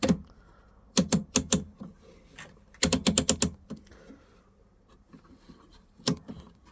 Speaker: say H seems to going up and down quite nicely so system switch is intact